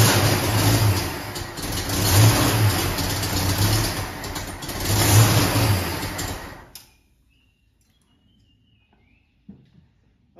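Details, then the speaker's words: Carbureted Ford Mustang at first start, fitted with a 1-inch carb spacer over the wrong gasket, so it was drawing air under the spacer; crew then suspected jets too small: catches, revs unevenly and dies in about seven seconds; rough running, possibly not hitting on all cylinders. "Yeah, it sounded to me like it's not. It's not hitting on all of it."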